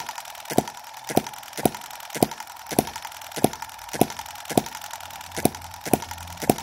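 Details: Microcosm M17 1.6cc model hit-and-miss engine, revived after earlier flooding was cleared: sharp crisp pops just under two per second with quiet coasting between, running properly.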